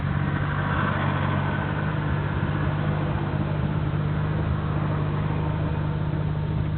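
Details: Nissan Skyline GT-R BNR34, stock Getrag manual gearbox with Nismo clutch, recorded windows open: loose, uneven dry clatter from the gearbox over a steady idle. It is abnormally louder than before and lags after pressing the clutch. Unchanged after gearbox oil change; overhaul considered.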